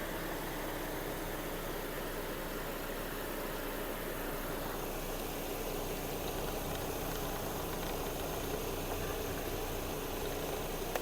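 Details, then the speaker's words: 2009 Skoda Octavia A5 1.6 MPI petrol, dealer-serviced. Quiet, even idle with no knocks or misses and no smoke; a faint extra drone as the working AC compressor cuts in, all normal. "кондиціонер справний компресор вмикається якраз"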